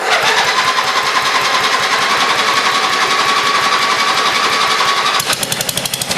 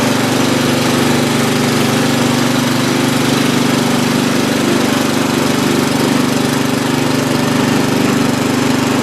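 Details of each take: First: Old free Lawn Chief riding mower, small single-cylinder, first start on a dribble of gas with a makeshift battery hookup: fast, slightly uneven patter with a faint whine; runs rough, owner thinks it needs fresh gas, a tune-up and a battery cable. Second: Free old Lawn Chief (Murray) riding mower, reportedly used last year and needing a tune-up: small single-cylinder engine running steady and even at fast idle with no misses or knocks; healthy after restart.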